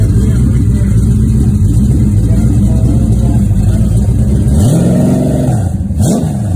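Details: Rebuilt 1970 Pontiac GTO 400 (bored .030", KB pistons, ported #13 heads, Crower 60916 cam, Johnson lifters, 800 CFM Quadrajet, Ram Air manifolds, FlowMaster Super 44 mufflers) on run stand outdoors in snow: deep even V8 burble at idle, clean quick blips; normal running and revving.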